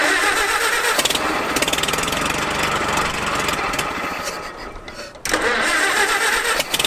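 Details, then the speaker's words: Abandoned Farmall H tractor, set to idle before the fuel system is sorted: even, steady firing about four per second with no misses or knocks; the old engine idles smoothly and healthy. "so dude it ran sweet"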